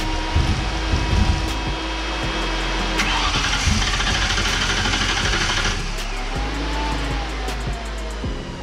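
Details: 2003 Mustang GT 4.6 V8 with 5-speed manual in budget 1965 Cobra replica, fuel system had lost prime and air was bled: catches after cranking but idles lumpy, revs sag and it stalls; owner suspects low fuel pressure, possibly sensor or priming.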